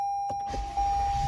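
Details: Toyota with smart key whose battery is dead, key held to push button for immobilizer override: steady warning chime, short crank, then engine catches and settles to a low even rumble; starts normally, proving key programmed and computers working.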